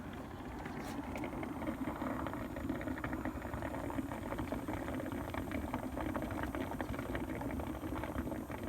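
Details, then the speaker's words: Car that is running hot, idling with the hood open: a steady low churning and faint bubbling under the hood, consistent with coolant boiling from overheating. Cause not yet found. "If you listen, you can hear it bubbling. Got to figure out why it's running hot."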